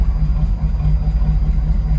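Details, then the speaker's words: 1991 Pontiac Firebird Formula WS6 after sitting a year on 17-year-old Stabil-treated fuel; low idle lopes and surges unevenly, probably gonna stall; rough idle from stale fuel, slight exhaust leak noted; fresh fuel later made it run much better. "This is probably gonna stall out. This gas is older than, oh God, Bill Clinton's scandal."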